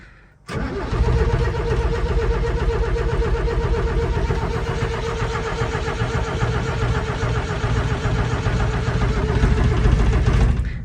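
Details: 1975 MK1 Ford Transit diesel, undriven since 1990, after about 45 seconds of flame preheater: starter churns about ten seconds with even compression pulses, never fires; owner suspects fuel or low 12 V cranking voltage and plans 14 V jump, preheater untested.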